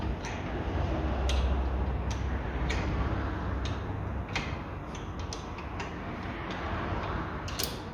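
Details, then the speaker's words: 2004 Renault Megane sedan 1.6 petrol, rear left wheel bearing, with the brake pads removed: a low steady rumble with uneven ticking as the bare hub spins; the bearing is near the end. Worn wheel bearing. "alfa escucháis el ruido de ramienta ahora que no ten las pastillas está claro noient es está en las últimas bien"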